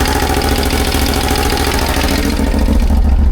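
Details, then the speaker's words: CFMOTO CForce 1000 quad (2V91Y engine) after timing marks were checked and valves adjusted within spec: steady idle with a hard, regular clatter about three times a second. Knock persists, source not found; endoscope inspection of the cylinders planned. "Всё равно какой-то стук идёт. Хороший стук. Наружу выйдет."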